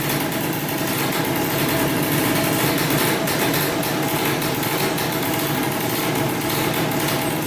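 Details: 2003 Polaris Sportsman 90cc two-stroke ATV, first start after new piston, cylinder and oil pump, on about 40:1 premix for break-in, smoking a lot. Buzzy fast steady idle without cutting out or surging; normal idle.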